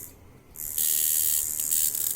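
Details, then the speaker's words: Jaguar Beast coil tattoo machine running at about 4 volts, out of tune: as the angle changes the sound turns very harsh, a hard-hitting raspy high buzz instead of a smooth sweet hum, with a very strong hit. "so see that it's out of tune the minute i change the angle that sounds different the sound is very very harsh"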